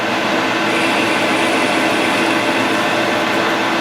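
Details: Grizzly G0776 lathe facing aluminum with a high speed steel tool bit: steady hiss of cutting under even motor hum, no chatter or squeal; clean, smooth facing cut.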